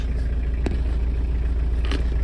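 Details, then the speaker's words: Just-imported 4WD Japanese mini truck with diesel and glow plugs, cold start: steady, even diesel clatter with a deep low rumble and no misses or knocks; healthy idle shortly after starting. "let's go ahead and let's start it and see what it sounds like it'll start sometimes the batteries are dead so the glow plug just shut off nice"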